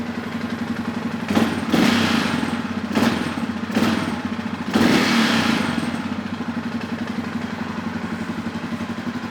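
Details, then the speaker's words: 2005 Suzuki King Quad 700, warm, also hard starting and blowing blue smoke: rapid clatter over the idle grows louder with each throttle blip, seemingly worse on the clutch side; engine knock worse with revs, top or bottom end unknown until teardown. "seems to be a worse on the clutch side that you can hear it but it means you know as you rev it it gets worse also not sure I'm not sure what it is until I get it apart"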